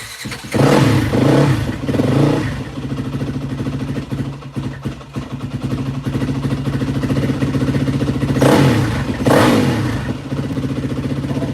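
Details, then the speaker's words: After carburetor rebuild on a 2003-2005 Yamaha WR450F, single-cylinder thumper started with a little choke, catches, blips up cleanly a few times and settles to an even idle; crisp, healthy carburetion, running normally. "This thing's freaking running tits McGee right now."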